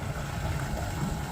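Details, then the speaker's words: Truck-mounted transfer pump on an HDT emptying the trailer's black tank during a first trial: steady even low motor hum without knocks, rattles or surging; pumping normally, no leaks seen. "oh yeah pumping in there to beat the band you guys can't see it but the Tank's there and it's I can hear it I'm not seeing any leaks"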